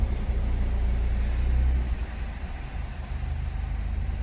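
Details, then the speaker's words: Citroën DS3 cold start after fitting a performance induction kit: low engine idle starts slightly uneven, then settles smooth and even, no longer juddering or lumpy as before; normal cold start idle. "okay it's calmed down oh it's not running Lumpy and that sounded good"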